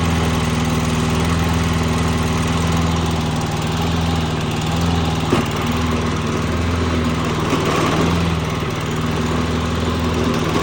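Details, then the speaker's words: Toro Recycler push lawn mower, small single-cylinder engine: the drone swells and eases every second or two instead of holding steady; engine surging, cause not confirmed. "Uh, it surges a little bit, but the software probably working."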